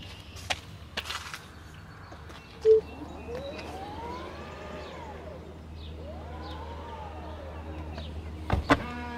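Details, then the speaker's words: 2022 Tesla Model X falcon wing door after recalibration (the car was driven 15 seconds so the door opens fully): the door motor whirs smoothly up and down, then soft latch clicks. The door operates normally. "After you drive the car for 15 seconds, the doors will now open all the way up. This is according to the Tesla rep. But it seems to be working now. So let's try to close it."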